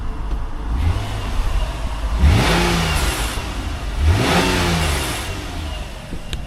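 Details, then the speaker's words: Nissan Murano V6 warming up before an oil change: two clean throttle blips rising and falling smoothly from a settled idle, no knocks or rattles; healthy V6 revving. "I think this is well I know it's a V6 but uh I think it might be from must be 370 Z no 350 Z yeah um so yeah sounds quite juicy"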